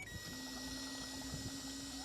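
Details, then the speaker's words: Self-built motorhome's in-tank electric fuel pump, tank dropped and pump fed directly: steady even mid-pitched hum with a faint high whine; the old pump works, nothing wrong with it. "you can hear that pump's going so that is the old pump there was nothing wrong with that pump"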